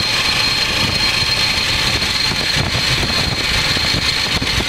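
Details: 2006 Ford Expedition 5.4L V8 idling with a steady high-pitched whine and gritty hiss from a failing idler pulley bearing, noisy for a while and suddenly much worse on the drive home.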